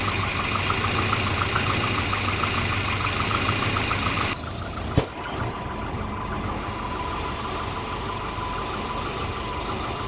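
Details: Volvo 240 idling unevenly with a faint uneven tapping; multimeter on the O2 sensor read erratically once exhaust reached temperature, and a new exhaust oxygen sensor fixed the rough idle.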